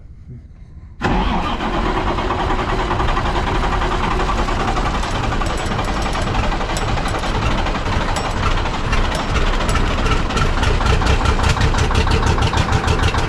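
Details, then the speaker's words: 1965 Kenworth W900 diesel, new starter, fuel rack badly set by a previous mechanic; started at half throttle, clutch down: lumpy uneven beat firing on only two cylinders; rough running from misadjusted fuel rack, injectors suspected too tight. "it's only running on two solders that R right nope I'm so excited but I think what we're going to have to do is check that rack and see we we got some something that ain't right you know we got some injectors that are too tight or some thing"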